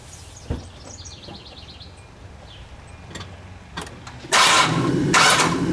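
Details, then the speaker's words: A 2001-06 Hyundai Santa Fe that read 11.6 V running with a failing alternator cranks briefly after a new alternator is fitted and comes up into a steady, even run; outdoors with birds. The new alternator then reads about 13.6 V, a normal start. "I'm gonna jump inside I'm just gonna crank it a couple of times just to make sure that you know give a full rotation on the belt"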